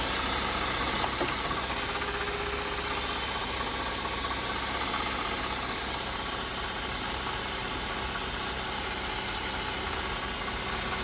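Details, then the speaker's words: BMW E36 at idle: faint quick chatter about four per second from the front of the engine, sometimes seeming mid-engine; alternator and pulleys ruled out, owner suspects a failing water pump before replacing it with thermostat and housing. "yeah so as you can see it's it's kind of a weird noise sometimes it sounds like it's coming from the middle of the engine sometimes it's from the front"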